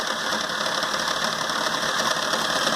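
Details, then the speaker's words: Peugeot 206 petrol engine idling very roughly with an uneven, shaky misfiring beat, a hose visibly vibrating; noises also near the belt, with oil leaking onto the alternator, apparently from the power-steering pump. "A princípio parece ó olha como que a mangueira vibra ó você vê que o motor tá com funcionamento horrível"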